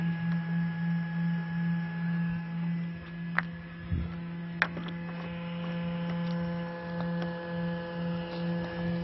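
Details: H11 LED headlight bulb, heard up close: a steady low electric hum at a constant pitch. The bulb's cooling fan is louder than it should be, and the bulb also has a vibration problem.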